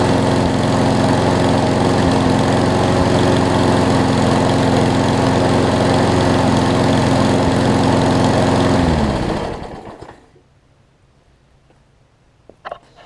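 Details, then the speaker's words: Craftsman push mower after carb clean and oil change (old oil had water and mess in it): steady single-cylinder drone at constant speed, no misses or surging, then clean shutdown and spin-down; running well. "i already got the oil changed you heard it's running a lot better now because the oil in it had a bunch of i think it had a bunch of water and mess in it"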